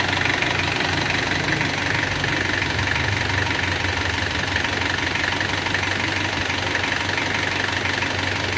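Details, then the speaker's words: Isuzu Panther 2.3 diesel after engine rebuild (new pistons, rings, one used liner): starts readily, even steady clatter at idle, no misses, knocks or shaking: normal idle. "Sementara ini ya, langsung hidup enak, cegreng dan suaranya juga halus seperti mesin pun tidak goyang ya lur ya, rata banget."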